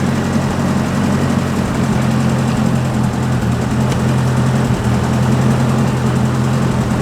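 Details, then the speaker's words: 1980s Yale/Eaton 6,000 lb forklift, 40 years old, revived after sitting eight years: steady low rumble at constant speed, no misses or rattles; runs well, though transmission has no pressure and no oil at its filter. "I um I got it dialed she runs great look runs"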